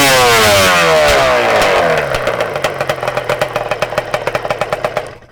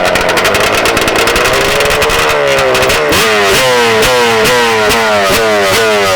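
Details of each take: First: Two-stroke Banshee after its carburetor needles were turned a turn and a half richer in total: crisp rev winding down into even, regular pops with no bogging or surging; no longer lean. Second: Warm two-stroke Banshee race quad: crisp blips, then a ragged, surging crackle at about quarter throttle, carbs not adjusted since October, P7 needle; lean-running carburetor, jetting too lean.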